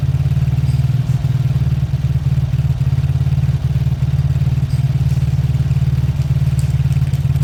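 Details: Old Lexmoto small motorcycle engine, partly dismantled, possibly warm from the sun; steady, even low thump at about 220 per minute with no knocks or misses during a 5-minute idle to circulate oil: normal idle.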